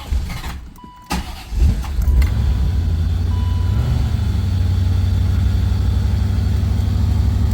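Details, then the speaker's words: L98 C4 Corvette after idle air control valve replacement, throttle body reinstalled: cranks, fires and settles into a steady even idle around 900 rpm, no stumble; previously wouldn't hold idle; an air leak still suspected somewhere. "Excellent idle. Something I got an air leak up there somewhere I got to go chase. But this car would not run to save its life."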